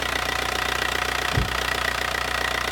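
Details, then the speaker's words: Just-bought daily-driver diesel car, engine said to be in great shape: even, steady diesel idle with the usual light clatter and no misses or knocks; sounds almost like the owner's own but a little softer. Normal, healthy diesel idle. "Sound almost like mine. A little softer. That's why I might change my settings."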